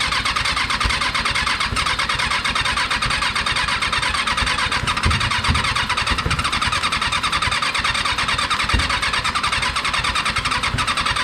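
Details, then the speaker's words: Rebuilt Kawasaki 636 engine freshly installed: long cranking with rapid ragged firing bursts that catch and fade without settling; hard starting, intermittent firing, eventually got running. "because when he when he goes over on those two it seems to do a little sputter"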